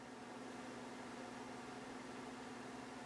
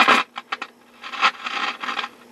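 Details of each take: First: Dumont RA-103D tube TV set, already warmed: faint steady hum, then one crisp click about five seconds in as the delay relay pulls in after tube warm-up; normal quick relay click on warm start. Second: Dumont RA-103D Rumson radio under restoration, first sound test: irregular bursts of scratchy crackle over faint steady hum as the volume knob moves; dirty volume control.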